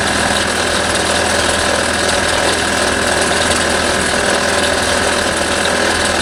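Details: 1989 Toyota Corolla engine that isn't running right: rough, clattering running with uneven metallic rapping; suspected rod knock from a failing connecting rod bearing.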